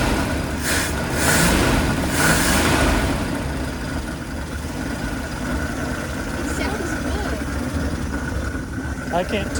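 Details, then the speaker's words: 1979 Dodge B200 Maxivan V8, abandoned 25–30 years, rebuilt carb, started on battery charger: uneven, lumpy stumbling idle that sounds funky; rough running, possible misfire suspected but not confirmed. "it sounds very strange to me but it's running and does it sound like a misfire sounds sounds kind of funky"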